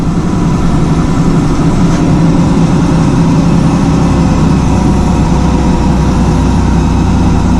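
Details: 2000 Ford Ranger after fuel pump replacement: steady, even low rumble at idle with no misses, knocks or surges; engine idles smoothly and sounds healthy.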